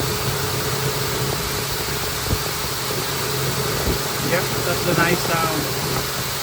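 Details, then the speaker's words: High-mileage Honda Pilot, morning cold start at 58° after replacing the faulty timing belt tensioner that caused a cold-start rattle: steady, even idle hum, no rattle or ticking; engine quieter and healthy. "we're going to start definitely quieter now yep no more rattles do a cold start test on my new tensioner temperature right now is 58"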